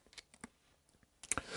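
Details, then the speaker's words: Harley-Davidson Shovelhead rocker arm rocked by hand in a quiet room gives light, uneven metallic clicks from excess rocker shaft end play; it will click much louder when running; target clearance 8 to 10 thousandths. "So there's your end play. Now this little click you can hear right now is nothing compared to the click it's going to make while it's running."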